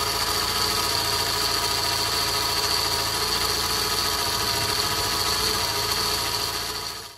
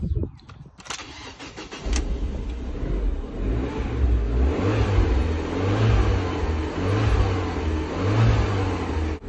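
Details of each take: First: Abarth 500 before auxiliary serpentine belt and tensioner replacement, making a loud whining sound: constant high-pitched whine over a rough raspy engine hum, worn auxiliary belt or slack tensioner. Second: Fiat Abarth 500 after replacing auxiliary belt and tensioner: engine fires and settles into a smooth, quiet, even idle with no whine or chirp from the belt side, unlike the loud whining before.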